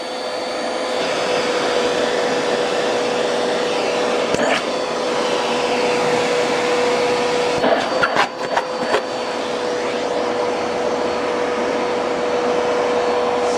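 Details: Bissell PowerForce Turbo canister vacuum, first power-up before cleaning the canister, brush bar belt burnt off: steady motor roar with thin strained whine and rattling when the airflow plugs up.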